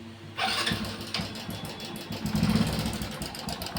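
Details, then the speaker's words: Hero Passion Pro at idle, about 15 days to a month after a new timing chain was fitted. Light metallic chatter rides over the idle beat. Owner suspects a failed chain tensioner (adjuster). "दोस्तो ये तरीके की आवाज आ रही है क्योंकि अभी 15 20 दिन एक महीना हुआ है इसको टाइमिंग चन डाले हुए और ऐसी आवाज क्यों आ रही है"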